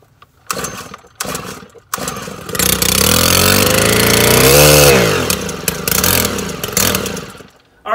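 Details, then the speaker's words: 2013 Stihl 100 RX string trimmer that would not start, after its ignition coil was replaced; a few pulls, then it catches and climbs cleanly to a high buzzing rev and drops back; it now starts and runs fine. "I got the coil replaced and got it going."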